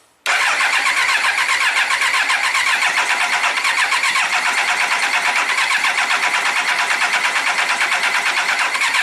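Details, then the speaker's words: 1999 Triumph Trophy 1200, non-runner for a year, carbs completely full of gas, no choke, battery slow-charged at 2 A, clutch in: steady even starter cranking for about nine seconds with no catch or cough; fuel-flooded engine won't fire. "So the carbs are completely full of gas, no choke. I'm just going to crank it, let the engine breathe a little bit, see if it coughs and sputters."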